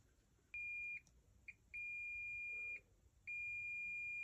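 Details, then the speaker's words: Klipsch R-10SW 10-inch subwoofer with constant thumping: multimeter continuity probe on the metal-covered amplifier IC gives a clean high beep that holds each time the probes touch, showing the amplifier pins are shorted. "oh so the amplifier I think that this is the amplifier here it's covered covered by this metal pins are shorted"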